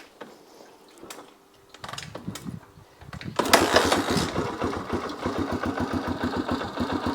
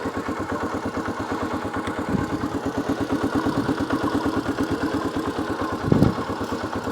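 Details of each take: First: 1982 Honda XL250R single, cold, on a little choke, after oil-leak repair and a new battery: several cranking bursts, a brief stumbling catch, more cranking, then it fires; hard cold start. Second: 1982 Honda XL250R single after oil-leak repair and a new battery: steady, even thump at idle with a light tick and no stumbles; normal healthy idle, no more oil leaks.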